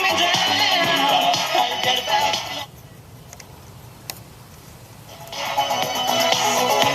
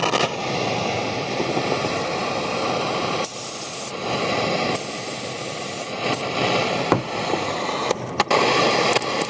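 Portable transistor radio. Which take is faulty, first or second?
second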